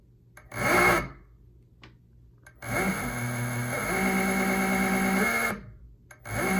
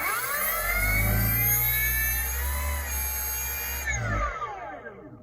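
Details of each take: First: E-bike hub motor matched to a controller by swapping hall sensor wires; this combination is wrong. Short bursts of a harsh, buzzy whine rise with speed, far too loud, and current jumps to 5 A. Hall wiring is mismatched. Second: E-bike hub motor after swapping controller hall and phase wires to the correct combination, drawing 1.6 A: a clean, steady, quiet whir that starts smoothly without hesitation and winds down evenly; motor and controller are matched.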